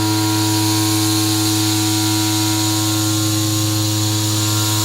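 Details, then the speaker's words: Thin triangular sections left up top of a CNC-milled camera spinner attachment part chatter against the bed: steady spindle whine and cutting hiss with a faint buzzing rattle; flute length isn't full bit length, a concern near the part bottom. "got these big triangles that are hanging on up top you can start to hear them chatter against the bed"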